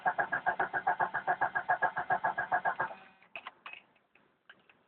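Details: 1992 Jeep Cherokee petrol 6-cylinder, first start of day, about 24-26°C: even cranking about two and a half beats a second for three seconds, then quits without catching; hard starting, cranks but won't start.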